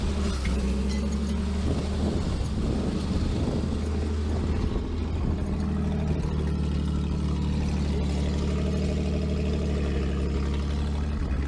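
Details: 1949 Chrysler Windsor sitting since the 1950s, with automatic choke, running after a wire fix: steady low engine drone with even beat, brief rough patch early, then smooth; owner reckons it won't run without the choke.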